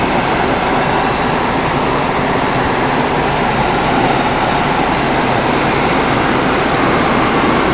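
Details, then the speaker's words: Ford Focus cabin blower, newly installed replacement motor, engine running, A/C blowing cold, rain outside: smooth, constant rush of air at full fan speed, no ticking, grinding or wobble; normal. "Oh yeah, it's coming. Nice and cold. Alright, I'm gonna blast it."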